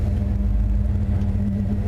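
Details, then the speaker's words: Suburban RV idling with the A/C on after shop work and 5 months off the road: a low, steady rumble, the original whining noise now gone. "and what else that whining noise is gone that was originally"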